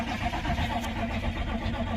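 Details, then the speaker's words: Old C20 crew cab diesel, low fuel in the tank: sluggish, uneven cranking with no firing, too little battery voltage; starting fluid shudders but no fuel reaches it, so injection pump may need priming. "yeah that's definitely not enough batteries but maybe we can crank it long enough to uh pull some fuel towards the motor"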